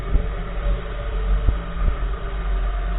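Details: 2014 Nissan March right front wheel clunking while driving: a few dull, uneven thumps under road rumble, under one a second, knocking from the right front corner; source part unidentified.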